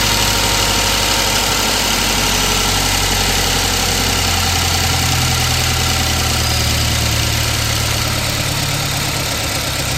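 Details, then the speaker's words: A 2016 Subaru WRX (FA20 DIT), bought a month earlier, idles loud with a dull, uneven knock under light throttle. It persists after draining the fuel; the owner fears a spun rod bearing. "um still got the knock all right I'm gonna do something else and check back later"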